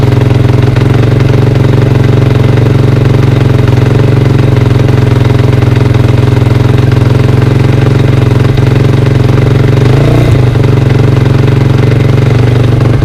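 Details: 2003 KTM 450 SX-F single-cylinder dirt bike, first start after sitting six months, carb drained and fresh gas added: steady, even thump at idle with regular firing pulses, no knocks or misses. Healthy warm-up idle.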